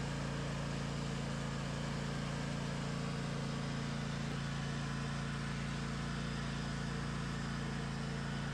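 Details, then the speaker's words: Craftsman DLT 2000 riding mower with blown Kohler Pro 20 V-twin replaced by Harbor Freight Predator 708cc engine, after rewiring: starts and runs on the switch with an even, steady low hum, no misses or knocks; runs cleanly. "We have the engine connected to the switch. It starts with the switch. It runs with the switch."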